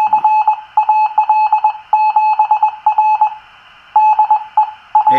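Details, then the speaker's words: Teensy 3.5 SDR receiver (Charlie Morris ZL2CTM design) after adding 600 ohm isolation transformers to cure hum, whine/burble and encoder clicking. A clean keyed Morse-like tone near 850 Hz over a silent background with no hum, whine or clicking; normal receiver audio. "I'm most encouraged by what I'm hearing here"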